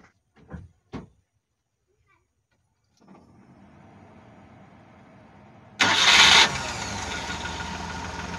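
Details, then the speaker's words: Multicab that stalled in rain or flood water; after cleaning flux from the wet distributor and rotor cup, a cranking burst catches within a second and settles into steady idle. Starts cleanly after the distributor was cleaned. "Ayan, umandar na siya. At talagang itong distributor na ito ay napaka-sensitive sa tubig."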